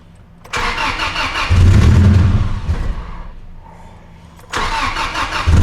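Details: Truck's first start, fuel pump primed: cranks, catches unevenly, stumbles and fades, then cranks again. The cause was a missing vacuum line at the PCV. Vacuum leak.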